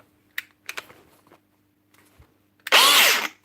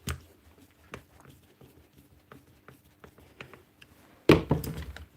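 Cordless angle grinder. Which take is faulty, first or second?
first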